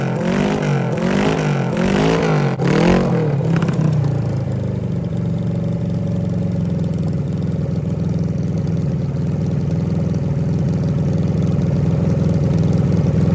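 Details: 1974 Kawasaki Z1B 900 four-cylinder engine, never apart since factory, run out of the bike for the first time since 1979, choke on; three or four clean throttle blips, then a smooth even low idle with no misses, carbs balanced by wire and blowing: normal idle.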